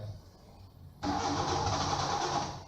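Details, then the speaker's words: Training car with crank-no-start fault: starter spins the engine steadily for about a second and a half with no firing; cause is an inoperative fuel pump. "so the problem crown quad is the crank no start all right so the engine is not starting"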